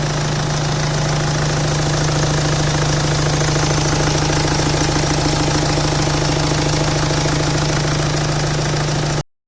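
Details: BMW N47 diesel idling with a hard, uneven knocking clatter over a steady hum; engine destroyed by very poor oil servicing.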